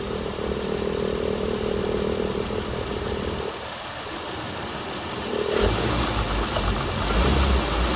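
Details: Chrysler Pentastar 3.6L V6 in a 2017 Dodge Ram 1500 regular cab (labelled 2016), after a start with massive cranking noise; uneven idle with irregular knocking or ticking, then steadies and climbs slightly, abnormal idle noise, cause not pinned down.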